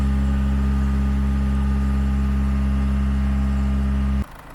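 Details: Land Rover Freelander 2 diesel revved to about 1800–2000 rpm and held a few seconds during a Wynn's diesel fuel system injector purge; steady, even deep drone without misses, drops back cleanly: normal revving at held rpm.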